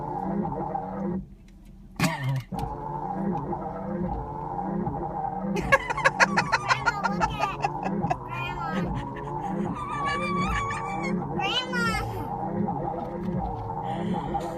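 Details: Battered island rental mini-van, heard in the cabin with the windshield wipers running: shrill, wavering squeaks rise and fall in quick repeating bursts over the cabin hum, the wiper blades squealing across the cracked windshield.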